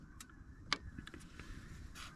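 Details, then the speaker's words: Vevor V4 self-priming diesel heater in a Jeep Gladiator camp setup, already started earlier and powered on again: one sharp click at power-on over a faint steady hum, nothing else odd; normal startup. "so you can hear a click all right so this thing is it's a v v board Weber V4 it's a self-roming one"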